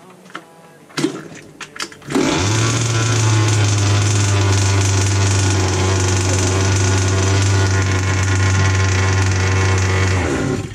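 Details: Rovan 29cc two-stroke in a Rovan 5B RC car with a Dragonfly pipe, first start after an engine-failure rebuild with gasket maker still wet: a few pull-start tugs, then it catches and holds a steady, buzzy idle without misfires.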